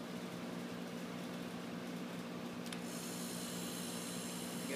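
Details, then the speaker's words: Old refrigerator compressor converted to a vacuum pump, running while pulling vacuum on a cylinder: a steady, even hum with a constant low tone and no knocks or rattles; pulls a good vacuum, running normally. "so now we're going to plug the compressor in and it should pull a vacuum on our cylinder"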